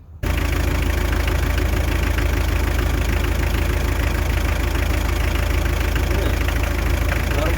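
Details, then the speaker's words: Hyundai Terracan 2.5 diesel D4BH idling with a sharp, regular knock about three times a second, appearing after the head was removed and refitted with timing on marks and valves adjusted; diesel injector knock. "Что может быть? Что за стук такой непонятный произошёл?"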